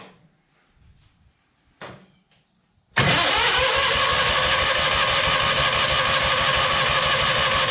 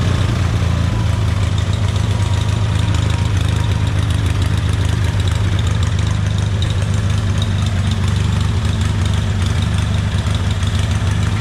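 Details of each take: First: Scrap-yard Hobart welder generator engine on a jump pack, with a battery that won't hold charge: a few clicks, then loud even cranking about three per second that never catches. Crank, no start from fuel starvation, before fuel is dribbled into the carburetor. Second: Hobart welder generator after replacing carburetor main and idle jets and gasket: steady, even low drone with no misses or knocks, smooth settled idle; engine healthy, electronic idle-up not yet tested.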